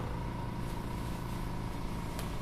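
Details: Vacuubrand MD 1C compact laboratory vacuum pump, rated to 2 mbar, running: low steady hum with an even soft pulsing beat, no knocks or rattles; normal quiet running.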